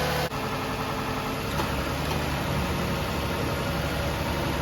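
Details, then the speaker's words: 2006 Toyota Highlander 3.3L with coolant leak, sat a few days, head gasket doubted: smooth even idle with AC on and steady rush of both cooling fans, no knocks or misses; fans working properly. "the air conditioner on and both the fans come on so those seem to be working properly"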